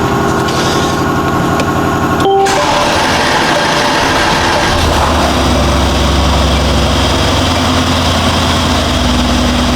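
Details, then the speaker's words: 2019 Mercedes GLC63 S Edition 1, M177 4.0L V8, 59,000 miles, after spark plug and injector replacement for misfires and fuel pressure code: starter whirr, fires into an even smooth idle without misses; fault counter clean, fixed. "Okay, I do have the engine idling, and this is the fault counter going, and everything looks good."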